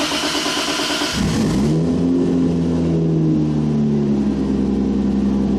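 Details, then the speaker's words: Supra revved in neutral: sharp rev drops back to an uneven idle whose pitch wanders; air-fuel sensor dead after long use on E85, needs replacing. "so my air fuel ratio uh sensor it looks like it finally shut the bed so looks like it's time for a new sensor"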